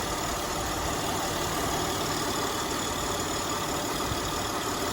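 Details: Acura MDX idling with a weird noise noticed alongside the AC, a steady hissy whir with faint high tones; fixed by replacing the bad drive belt.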